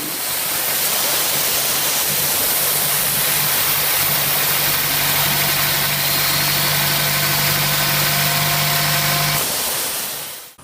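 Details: 2012 Chevrolet Sonic at about 100,618 miles, before valve cover/PCV replacement: steady idle with a constant loud airy hiss that stops with the engine; a vacuum leak at the failed PCV valve.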